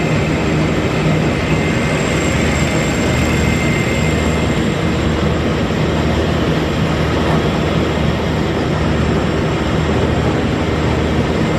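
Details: Massey Ferguson 40 combine (possibly 1996), sat 3 years, fuel and electrics refreshed; steady, even low diesel rumble with no knocks or misses, its vibration shaking the machine quite a bit; normal running.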